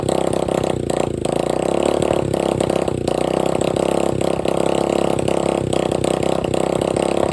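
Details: Free dirt bike running with no exhaust pipe and no carburetor filter, with about a six-inch flame shooting out: a loud, raw, crackling idle with a sharp open-pipe bark. Engine running without exhaust.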